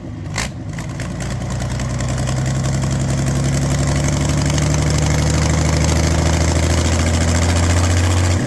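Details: Doosan diesel engine after a full overhaul in a local workshop, first start: cranks, catches and settles into a steady, even low idle that slowly firms up, no knocks or misses; healthy run.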